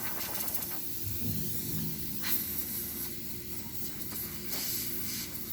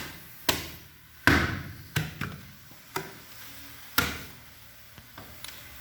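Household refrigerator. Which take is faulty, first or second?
second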